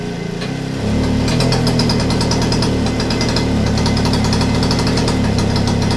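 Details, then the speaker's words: Motobécane AV89 Balancier moped, two-stroke, freshly started and still cold: pops with an uneven, slightly lumpy beat under the exhaust rasp, and is said to run a bit badly cold. Rough running when cold. "sent qu'elle est froide, hein. Ouais, c'est un peu mal."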